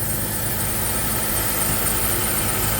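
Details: Car engine idling: thin steady high squeal over a rough idle, unchanging pitch; owner places it at the front near leaks needing a transmission cooler, source not seen.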